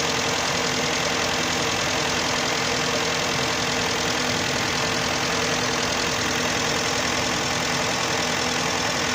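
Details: 2011 Hyundai Santa Fe 2.4 (4GKE) engine, warm idle: fast loose ticking knock about three per second over hissy background; engine knock when hot, source unknown.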